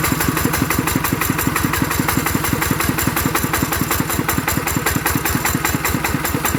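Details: ET110 single-cylinder diesel after rebuild for an abnormal knocking noise, quick even thump at steady idle with no knocking or clatter; judged good, normal idle.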